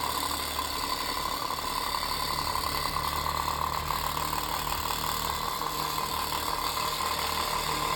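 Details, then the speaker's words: Unbranded antique 7-inch desk fan; loud steady whirring rattle with constant mid-pitched hum, speed varying fast and slow; unbalanced fan blades and worn shaft bearing. "And it's really loud. And it's probably the loudest thing in here right now."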